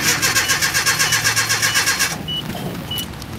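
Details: 1987 Nissan D21 pickup, Z24 twin-plug four-cylinder, new fuel pump just fitted, no fuel pressure yet: steady even cranking about four turns a second for two seconds, never catches; crank, no start.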